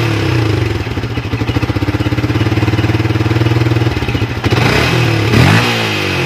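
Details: Yamaha Vixion after regulator/rectifier (kiprok) replacement cleared MIL code 46, charging at 14 V: even regular idle pulse, then clean blips rising and falling smoothly with throttle; sounds healthy.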